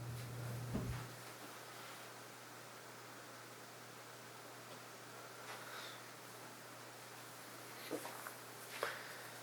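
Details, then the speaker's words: 1982 Casablanca Century 9000 ceiling fan, near-mint, knob turned up to medium speed: soft steady low hum, no ticking, scraping or wobble despite three droopy blades; running smoothly. "It's a nice speed. This fan is very nice."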